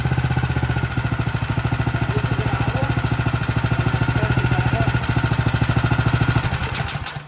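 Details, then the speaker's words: Cub Cadet 2X26 snow blower (model 31AM5CVS756), 675-WUB single-cylinder engine after carburetor work, started on choke at half throttle: slow fairly even thumping, runs fine but idle a tick low. "Idle's a tick low, and as it tight."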